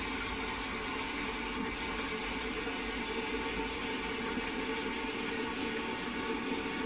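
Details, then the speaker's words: Post-1945 STOM Cardiff 146 cistern before restoration: steady unbroken hiss of water filling that never shuts off. Failing float valve not closing. "But as the float valve is failing, you'll soon work out why it works this time. You can hear it hissing and non-stop."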